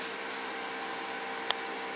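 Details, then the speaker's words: 3000 W 24 V transformer pure-sine inverter on test, drawing about 2710 W from resistive loads off a 24 V battery bank (244 V 50 Hz, 11.15 A, 0.98 PF): steady airy cooling-fan hiss with faint electrical hum and one brief click. Normal running under load. "the inverter is working now you can hear it turning on the fan is sucking you can hear me blocking and turning the fan on and off there working beautifully"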